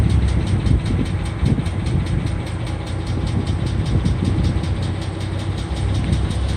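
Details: 2012 Ford Mustang 3.7, idling: sharp, light ticking about four to five times a second; top-end tick, cause unknown.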